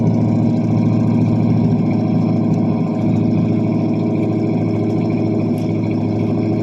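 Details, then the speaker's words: 1978 Pontiac Bonneville 301 V8 warming up after a cold start following nearly two months sitting; single-chamber muffler, no cat. The idle is lumpy and hunting as the carb struggles. The owner suspects a plugged idle circuit. "now the old carb is not liking it starting to warm up a little bit"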